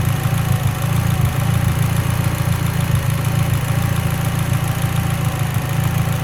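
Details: Mitsubishi Evo X: low, rough idle with uneven, stumbling beat instead of a smooth hum; lean idle misfire, cause not confirmed.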